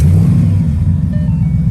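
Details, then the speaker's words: Flood-damaged Ford Mustang GT restarted after sitting about 15 minutes, following a stall: a deep rumble that surges and sags under held throttle, good at first then stumbling. The owner suspects the spark plugs. Rough running under throttle. "uh oh give it throttle it's good oh no it's not it sounded good at first"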